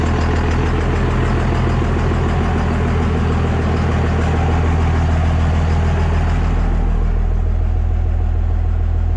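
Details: 24-valve diesel pickup just converted to a P-pump, first fire-up after priming fuel: steady, even diesel clatter over deep low rumble, no misses or stumbles; smooth, healthy idle, before fitting 4K governor springs.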